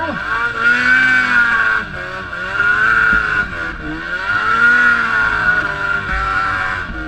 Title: Etec 800 Misfire